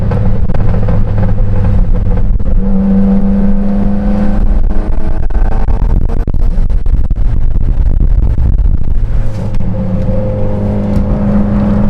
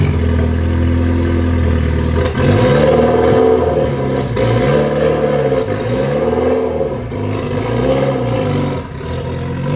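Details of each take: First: Mitsubishi Lancer Evolution X with a newly fitted ETS turbo kit, recorded from inside with the window partly up, accelerating under load: strong engine drone with a rising turbo whoosh, spooling at about 3,000 rpm and pulling clean, with backfires; normal turbo spool. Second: Mitsubishi Evo X with stock turbo, cold start on a chilly morning: rough puffing chuff over the exhaust note with a wavering pitch, from a major exhaust leak in the center of the car.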